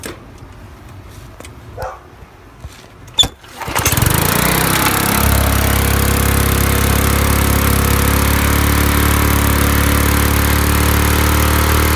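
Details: Briggs and Stratton lawn mower engine, primed and started after head removed, head gasket refitted and carburetor clean: a couple of pulls, then catches and settles into a smooth, even buzz without surging or stumbling; runs healthy.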